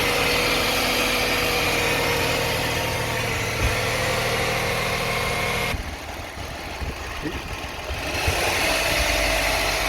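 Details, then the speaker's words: 2009 Toyota Sienna FWD, automatic transmission, after a fluid drain and fill, idling in park. A steady buzzing whine at constant pitch sits over the idle. The flex plate is thought to be okay; pump, torque converter or bearings are suspected, unconfirmed. "Good. The noise is still on. We expect the flex plate is okay, but something wrong."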